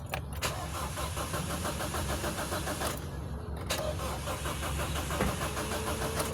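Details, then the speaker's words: Car rescued in San Miguel, Bulacan, scanner not reading, throttle butterfly opening: starter cranks at a steady rapid chug, pauses, cranks again, never catches; crank no-start traced to a blown fuse. "Confuse mo idol yung 30 15 pumutok. Yan pumutok ang fuse."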